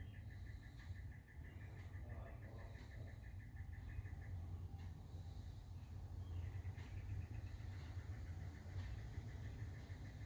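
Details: Newly built desktop computer: a quiet, fast-fluttering high chirp with occasional faint clicks over low fan hum; it occurs only in Windows, not in the BIOS.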